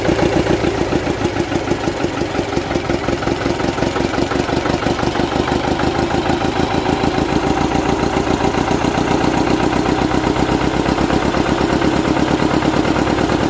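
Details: Gardner 4LW diesel, cracked head repaired, started after priming and bleeding the fuel system on a very cold morning; old unrestored engine, some wear. Steady, even low diesel beat at slow idle; a bit smoky cold, normal.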